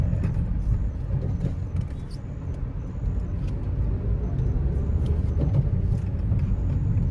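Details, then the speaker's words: Nissan Almera manual, test drive after repair of underbody suspension clunk quoted 100k+ elsewhere: steady low road rumble with only faint scattered taps, no heavy clunks over bumps — suspension now solid, declared fixed. "All right, let's try to test drive the car. Hoping that there's no more lagutok present."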